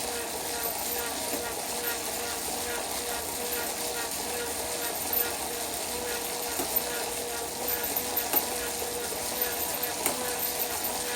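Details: Wahoo KICKR bike trainer humming steadily with sharp pops at irregular moments, about every couple of seconds.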